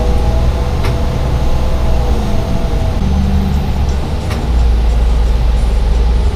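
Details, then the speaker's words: Foothill Transit El Dorado ENC bus, heard inside: a loud single knock like a giant clock tick, roughly every 3.5 seconds over the steady bus drone. This is a known quirk of these buses; source unknown. "And one unusual feature of the ENCs is they make this loud knocking sound that sounds like a giant clock tick."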